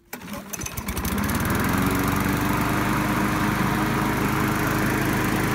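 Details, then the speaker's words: Curbside-found Craftsman mower, started after reconnecting a boot-less spark plug wire and adding gas: catches after a few pulls, then an uneven, wavering putter at idle; runs rough, likely needs carburetor cleaning and maybe a spark plug. "so you guys can probably hear a running kind of funny so it definitely needs at least a carburetor cleaning and maybe the sparkplug Ragab"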